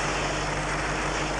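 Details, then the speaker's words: Steady, even, rhythmless hiss over the running engine, heard through an ultrasonic listening receiver: a pinhole vacuum leak on the vacuum line to the fuel pressure regulator. "in this case there's a pinhole leak on a vacuum line going to the fuel pressure regulator"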